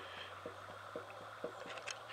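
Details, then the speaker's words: BSA A10 twin engine, supposedly recently rebuilt, stopped: crank rocked endwise gives dull metallic clunks about twice a second, 0.4 mm (about 16 thou) end float, oil pump gear visibly rotating back and forth; excessive crankshaft end float. "you can actually hear the crank clunking backwards and forwards from side to side even see the oil pump gear rotating partially back and forth is moving that much"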